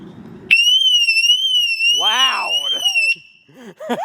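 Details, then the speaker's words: 2006 Mercedes-Benz W211 E350 4matic alarm siren replacement: wrong part fitted, a piezo-electric buzzer; piercing, shrill high tone wavering slowly, much louder and completely different from stock. "this sounds completely different what the hell is this bro that is a completely wrong part"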